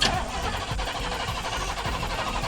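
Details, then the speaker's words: Cammed Chevy C10 carbureted V8, sat for months: starter cranks slowly and regularly, under two a second, no firing; crank-no-start, carburetor suspected dried out, being primed. "all right so we've been on you're messing with it for a while unable to even get it started today"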